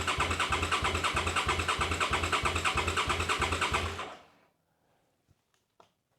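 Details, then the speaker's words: Old motorcycle unused for years, new battery fitted, fuel pump primes: starter turns the engine over evenly about three beats per second for four seconds, not seized, but never fires; cranks but no start. "okay so motto turns over this is good it's not seized it's not locked up"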